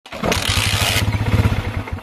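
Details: Motorcycle engine catches, sputters unevenly for a second and fades out choking as if starved of fuel; failing stator source (primary) coil behind the stalling, checked with a multimeter.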